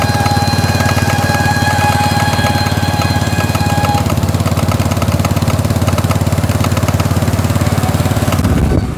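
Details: Motorcycle rear wheel: steady rattling clatter, three or four knocks a second over engine drone; typical of a loose rear wheel bearing in its bore.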